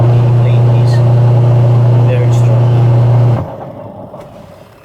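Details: Washing machine after repair of a noisy, powerless impeller: steady low motor hum with smooth agitation and no grinding or knocking until it stops; normal agitation, drive sounds healthy.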